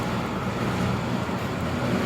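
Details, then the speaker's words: Rebuilt Ideal indent cylinder separator (grain/seed cleaner) with new bearings, chain, sprockets and drum idler wheels, test run about 3 hours; steady even rush and hum, no knocks, squeals or grinding; runs cool and quiet, normal. "We've test ran this unit for about 3 hours. Runs nice and cool, nice and quiet."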